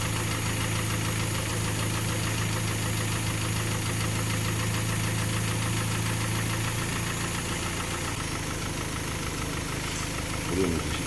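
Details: Kia Sportage 3, 122,000 km, idle before service: dull metallic tapping about four a second, even and persistent, over the idle; knock of unknown origin, gone after oil change and throttle/injector cleaning, timing chain replacement planned.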